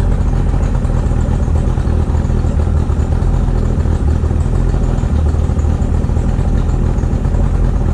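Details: 2008 Tracker boat, 50hp Mercury outboard with water on after water pump replacement, new BPZ8HN10 plugs and timing set; deep, even low burble with steady pulses, no knocks, misses or rattles while charging voltage rises from 12.19V; runs smoothly and healthy.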